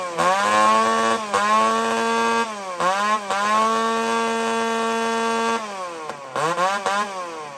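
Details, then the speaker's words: Chainsaw running on straight gasoline with no oil: thin, piercing scream climbing very high each time the throttle opens and dropping between bursts. Lean over-revving from oil-free fuel. "if you look at how clear this gas is it's white this is straight gas friends I'm not playing around [Applause] [Applause] [Applause] friends Listen to How high this thing screams"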